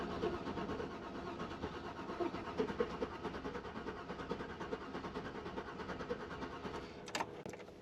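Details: 2003 Chevy Avalanche with no spark, cam and crank sensors already replaced, RPM signal present, no start even on brake cleaner: steady even starter cranking for several seconds without firing; crank no start.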